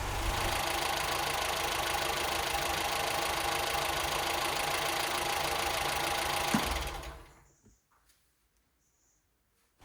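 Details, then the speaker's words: Ford Fiesta barn find, cold on choke; owner suspects battery or alternator as jump pack is disconnected: steady quick-ticking idle about four beats a second with an even hum, then it cuts out; healthy choke idle. "there you go I'll find out in a moment but isn't it running Lely just drop a little bit of Choke yeah really nice really really nice"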